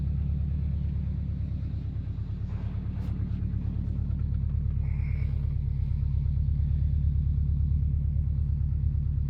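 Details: Subaru Impreza WRX GC8, EJ20G turbo, deep regular low thumping about three per second; driven a year, prior owner two years; told forged internals knock, owner suspects connecting rod; unconfirmed.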